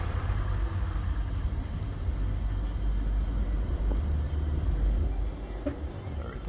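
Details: Mercedes GL63 AMG auction purchase, first start: deep even rumble right after start-up, no knocks, misses or rattles; engine idles smoothly and healthy despite warning lights (aux battery, seatbelt buckle faults).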